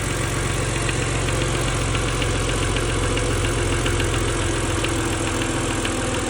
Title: N52 Knocking Sound